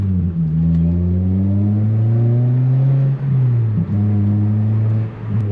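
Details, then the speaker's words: Toyota Celica GTS-R after exhaust repair, rerouted away from the gas tank with old failing gasket replaced: smooth deep drone swelling with throttle, no rasp, rattle or vibration; normal exhaust note after repair. "yeah the vibration's gone that's awesome that's just sound and the little bit of raspiness from the old gasket going bad is gone as well"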